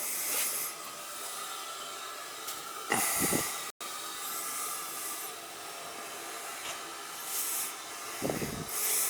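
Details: House boiler being refilled after circulator, relief valve and expansion tank work: repeated sharp hissing bursts of escaping air a second or two long as air vents through the purge valve.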